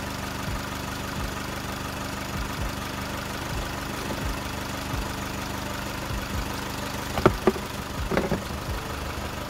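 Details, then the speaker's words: Four-cylinder car after repair: cylinder three was dead and its ignition coil was replaced; quiet steady even idle with no stumble, a few handling clatters near the end, all four cylinders working. Normal idle. "good now all four cylinder working cylinder number three we had a problem with and we replaced the quill"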